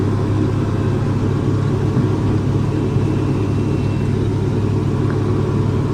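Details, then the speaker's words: Tractor diesel that went into limp mode (capped at 1500 rpm, stalled) from water and slime in the fuel; after cleaning the strainer and draining the water separator, a loud, even rumble at steady speed with no misses; normal diesel running. "but I'll clean that one more time but it's going running much better now"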